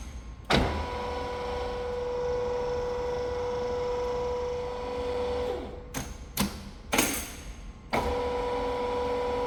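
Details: Large lathe apron feed test run after a broken gear selector fork was replaced and the apron was refilled with oil: a smooth, even gear whine at one steady pitch that stops and restarts cleanly with no knocks or grinding. It runs healthy.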